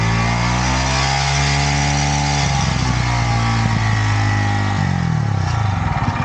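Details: Yamaha YZF R125 under crash-damage rebuild, idling and blipped during a check of the exhaust: steady, even beat with clean throttle response, no puffing or ticking at the joints; no leaks, only a new sleeve needed.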